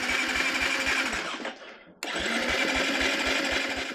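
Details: KTM 350 four-stroke with a Lectron carburetor, no-spark diagnosis, after brake-cleaner was sprayed in as a fuel test: even starter chugging about four beats a second, a pause, more cranking without a single catch; cranks but won't start, no spark suspected.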